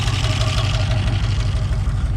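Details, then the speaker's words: 7.0 L (427 cu in) LSX engine build idling: deep, even lumpy rumble with a steady beat and no knocks or ticks; runs great. Some smoking, owner suspects valve cover gasket oil leak. "And it runs great. Everything in there is fine."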